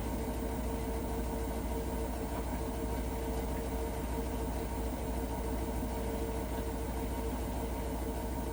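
Heavy, steady rumble with a constant hum and a loose churning beat about twice a second throughout; abnormal washer noise, cause unclear.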